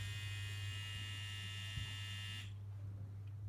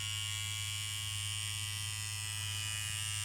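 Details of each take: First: Immortal Innovations KillerBee tattoo machine after running-in, as after a strip and rebuild: steady low hum with no rattle or knock, just a few handling clicks. The initial rebuild noise has gone and it runs smoothly. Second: KillerBee tattoo machine run in after build, lower voltage: steady electric buzz with thin high whistle over the hum returning when needle pressure is unwound and needle retracted behind the tip.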